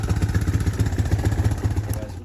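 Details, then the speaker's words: 2005 Honda Recon 250 ATV at idle with the choke fully off, fitted with an aftermarket carburetor: low, uneven, lumpy thumping about eight pulses a second that stays rough when throttled, whole bike shaking, strong exhaust and gas smell; running very rich. "so it almost sounds like the choke is on but it's not the choke is completely off you just here the idle is not smooth and even when you give it gas so it should be running like that the whole bike is is kind of shaking too it's just not not smooth"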